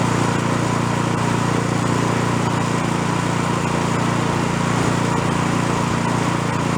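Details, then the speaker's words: Small snow blower with plastic impeller, during carburetor jet sizing: steady buzzy single-cylinder drone, slightly uneven, smoothing on choke; still running lean, needs one jet size larger. "i think i'm going to go one more size up you can still see when i put the choke on it's running a little bit better"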